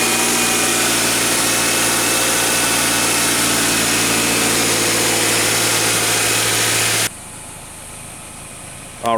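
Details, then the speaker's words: 2014 Subaru Crosstrek just after an oil change with Valvoline 0W-20 (5 1/4 quarts), started up: steady, even idle with a constant low drone and no knocks or ticks; sounding good. "Okay, let's go ahead and start it up. Sounding good."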